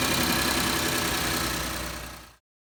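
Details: 2012 Ford F-150 XLT 3.5L twin-turbo EcoBoost, before repair: rough idle with fast dry ticking puff on exhaust note; bad knocking from passenger side on startup, chirping on acceleration, identified as exhaust manifold gasket leak.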